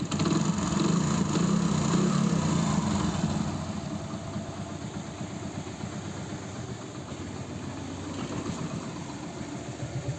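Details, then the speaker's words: Hero Passion Pro single-cylinder motorcycle, after repair of customer's excessive engine noise complaint: idles evenly at about 220 beats a minute, now much quieter with no knocking or chain rattle; healthy idle. "सुनो दोनों sound आप लोगों ने सुन लिया पहले बहुत ज्यादा sound था और अब देखो बिल्कुल साइलेंट हो गई बिल्कुल मक्खन"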